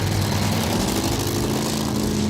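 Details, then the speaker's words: Roots-blown Thunderbird engine tuned for altitude, cold start in about 20°F winter at Rapid City, South Dakota, doing donuts: rough, uneven stumbling beat with dropped pulses. It is misfiring and runs terribly; the cause is not identified. "It's already missing. Yeah, it's misfiring."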